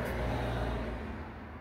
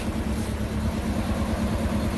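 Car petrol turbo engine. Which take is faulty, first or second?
second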